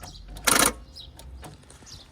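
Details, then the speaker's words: 2007 Fiat Panda with a no-crank complaint, battery at 12.2 V: when the key turns there is one sharp buzzy solenoid clack, then only faint ticks. The starter solenoid tries to engage but the starter never spins. "you can hear that there solenoid the actual starter solenoid is trying to engage however it's not"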